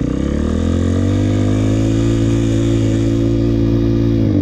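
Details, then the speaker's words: Dirt bike held in first gear at high, slowly climbing rpm with no upshift and little load, buzzing hard; a beginner's mistake of shifting too late and over-revving instead of matching rpm to speed. "what they're doing is they're unnecessarily revving the bike the engine too high and not shifting you don't want to sit at a high rpm under no load"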